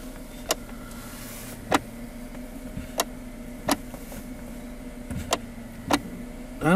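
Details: 2011 Kia Sorento, engine running: sharp single clicks from the gear shifter area each time the brake is pressed; shift lockout solenoid or plastic lever suspected, fixed with an O-ring on the lever pivot shaft.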